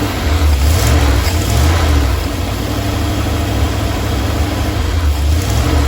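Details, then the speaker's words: Normal warm idle from either the 1977 Ramcharger 440 or the 1968 D-100 318 being revived: an even V8 lope with no knocks or misses. It runs at 800 rpm and 185°F with 44 pounds of pressure, the charging system is working, and it is about to be shut off for a compression test. "800 RPM idle 44 pounds of pressure the charging system is working"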